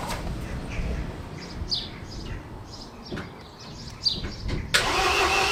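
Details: MINI R56 1.6 HDi DV6 diesel after extensive repair work including the timing belt: the starter churns at about three turns a second, but the engine never catches. The owner suspects the timing belt fitment.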